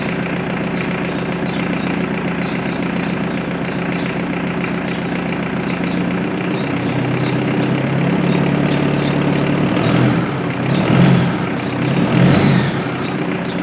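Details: Mitsubishi L200 K74 diesel 4x4 stored 15 years, new air and fuel filters and oil change, restarted to check progressive rev rise; steady diesel clatter at idle with even beat and a couple of smooth rev rises, healthy; normal idle.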